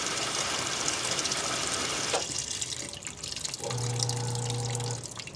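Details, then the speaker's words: Magic Chef 1.7 portable washer after five years of use, lightly loaded: steady rushing hiss of water filling without sputter, then brief low hum; fill normal, though the drum later fails to spin. "I'm going to press play. And then the water comes out. This is like blurry. But yeah, the water's coming out. You can hear it."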